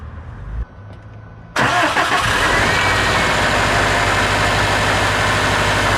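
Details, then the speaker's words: Subaru turbo after installing GrimmSpeed couplers, pitch mount and turbo blanket, throttle body replugged, started to check for vacuum leak; brief crank, catches at once, steady even idle with no stumble or hiss; normal cold start and idle. "So far, seems good. I don't really hear anything."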